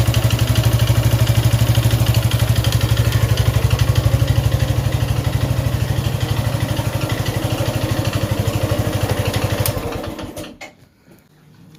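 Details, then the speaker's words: Suzuki Gixxer 155 single-cylinder idling with a mechanical engine noise, owner neglected oil; mechanic suspects timing chain, excessive valve clearance or piston/ring wear, to be disassembled; steady idle pulse with unexplained noise. "Mir, aquí tengo una Suzuki Jixer, el cual tiene un ruido en el motor. Y vamos a echar andar para ver."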